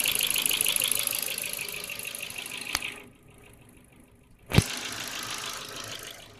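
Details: Ford Focus 2 1.6 100 hp petrol, pistons replaced last summer without boring: light, quick ticking over the running engine, then a quiet gap and a clunk; owner unsure whether valves or cylinder wear.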